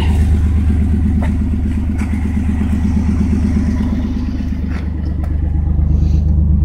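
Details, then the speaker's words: 1992 Chevrolet S10 Blazer at idle on a cold day after new plug wires cured a misfire: low rumble with light rhythmic puffing rattle from an exhaust leak at the failing catalytic converter, exhaust smell noted. "It's got a leak on the cat though. You can hear that rattling a little. Whew. I can smell it. Yeah, that cat's bad."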